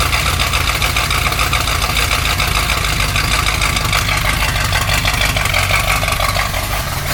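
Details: 1972 Corvette first run in the car after 10 years abandoned, cold, in heavy rain, timing ~10° BTDC; uneven, wandering, stumbling idle under rain hiss; owner suspects vacuum leak at used base gasket and wants a different carburetor; rough idle.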